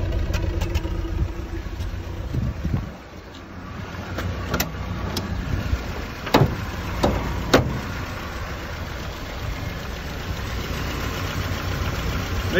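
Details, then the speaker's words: Land Rover Series 3 with Weber carburetor, very clattery: steady tick-over a bit high with a few clicks. Lowering it makes it run badly when cold and smoke more; owner unsure if that is Weber character or a fault. High idle. "tick over is a little bit high but the thing is when i set the carburetor to reduce the tick over so reduce the fuel one tick over it then doesn't run correctly when it's cold and and smokes even more"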